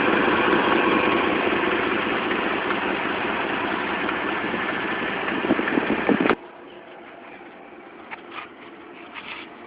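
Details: Dodge Dakota 4.7L V8 idling with a quick, even tick on the right side that follows engine speed until shutoff; leaking right-bank exhaust manifold gaskets, fixed by replacing the gaskets with new bolts.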